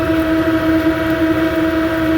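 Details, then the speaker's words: HVAC exhaust fan (belt okay) after repair, bumped with correct phase rotation: steady even hum with no rubbing, squeal or knock, current draw within the 3.47 A allowed; normal running. "running good now we need to check current draw all right we were allowed to run like 3.47 amps so we're good"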